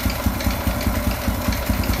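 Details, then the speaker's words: Honda Revo 100 bored up to 110cc with a KC piston kit and a Supra 125 carburettor, idling cold. A light, quick 'tek-tek' tick rides on each firing pulse and disappears when warm. It is not from the head, block or piston change; the cause is still unknown. "ya di sini ada suara tek tek tag tapi ini bukan berasal dari head atau bloknya ya ini memang awalnya sudah bunyi ini belum ketemu penyakitnya apa tapi bukan berasal dari rubahan piston kc-nya ya ini anehnya kalau sudah panas hilang suaranya"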